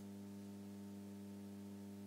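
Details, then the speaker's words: Late-1970s/early-1980s NAD 3020 Series 20 amplifier, power amp section powered with preamp jumpers removed: steady low mains-frequency buzzing hum with even overtones, unchanging; mains hum from aged filter capacitors. "I have another humm issue here that was clearly not the hum we had before with the free end section in there it was like this was hundred Hertz hum this was like a mains frequency hum"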